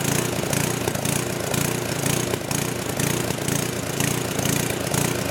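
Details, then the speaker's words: Old 10 hp gasoline generator converted to propane with only the regulator of a cheap aftermarket LPG carburetor: the engine surges with an uneven loping beat about twice a second and an occasional backfire; owner suspects it isn't drawing enough fuel. "so it's not running perfect it's got a little gal up to it a little backfire and they're trying to indicates like it's me so maybe it's not drying enough fuel"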